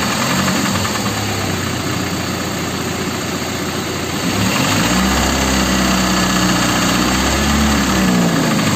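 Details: Chrysler 2.4 engine in a Volga: idling with a dull, regular, loud knock on each revolution; internal engine knock, source not yet pinned down.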